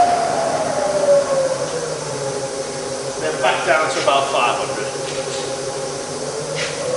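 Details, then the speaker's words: Bridgeport milling machine (48" table, Vari-speed head) spindle in high range dropping back: smooth, steady whine easing down in pitch as speed drops, no knocking, rattle or grinding; normal spindle running. "And I'll put it in reverse, and reverse is just as quiet."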